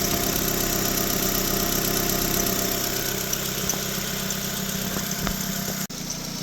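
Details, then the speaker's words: 2006 Nissan Sentra 1.8 L idling after cylinder 2 misfire (P0302) repair: a thin high squeak over the steady engine note; owner thinks a pulley is the cause. "Hear the squeak? You hear the squeaking? I'm still hearing a little squeakiness, and I think it's because of the pulley."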